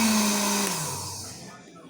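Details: Arno blender after repair, replacing the stripped coupling part: a short pulse gives a smooth high whir that winds down evenly, with no grinding or rattle, now running normally.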